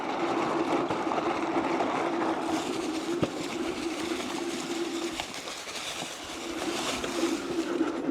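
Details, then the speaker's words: Philodo Falcon 60V dual hub motor 24-inch fat tire eBike in speed-based pedal assist 1, holding about 12 mph through sand and up a fairly good climb: faint steady electric whine under wind and tyre noise; both motors pulling evenly, healthy. "Hit some sand. And it's still in power assist one. Just holding that speed. Right up through this. Dual motors just pulling it right along."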